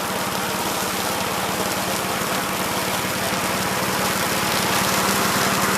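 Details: 1969 Gravely C8 walk-behind tractor, single-cylinder engine fired up in the morning after repairing its no-high-range fault (worn ring found): steady, even thump at fast idle, no knocks or misses; running smoothly and healthy.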